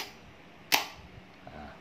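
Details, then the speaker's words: Starter motor on the bench, small ignition-key wire touched to trigger it, for a no-start engine: two sharp clacks about a second apart, pinion throws but the motor does not spin. Suspected worn solenoid contacts, fixable with a 10-sen coin. "Beginilah bunyinya kalau kita start tuh. Dia tak tak tapi tidak berpusing."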